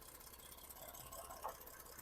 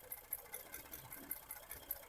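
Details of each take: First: 2012 Ford F-150 3.5L EcoBoost, 296k miles, idling with a stumbling, lumpy misfire and vibration after a known-bad coil-on-plug is fitted to cylinder four; now missing on two cylinders. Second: 2012 Ford F-150 3.5L EcoBoost, 296k miles, random misfires: idling engine with cylinder two's coil-on-plug lifted off the plug, sharp crisp spark snaps showing a good strong coil.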